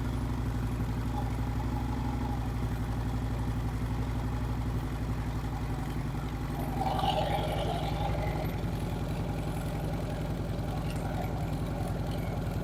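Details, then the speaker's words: Harley-Davidson Street Glide V-twin at idle on first start after primary case reassembly and new Screamin' Eagle compensator install (fixing hot-start issues and strange noises); even lumpy idle, no primary clatter, starting, charging and clutch all good; normal idle. "all right I'm tickled everything's in good shape starting good charging good clutch seems to work fine"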